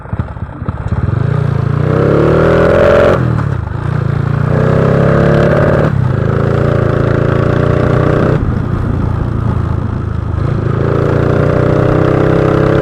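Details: Honda Wave 125i fuel-injected scooter fitted with a PCX150 injector and recently replaced fuel pump: revs in repeated bursts, stumbling and bogging as the throttle opens, running too rich; fix planned by changing parts instead of ECU tuning.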